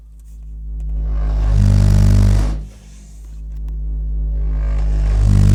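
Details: Car audio system: deep booming bass rumble swells, dips and builds again whenever a speaker is moved, driving the subwoofer as if at full power; cause unknown.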